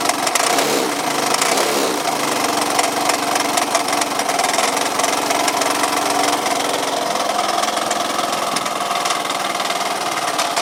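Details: Yamaha Cygnus 125X FI (150) scooter that won't move, no drive to the wheel, belt possibly broken, FI lamp blinking at key-on: thin, tinny idle with busy, uneven engine clatter.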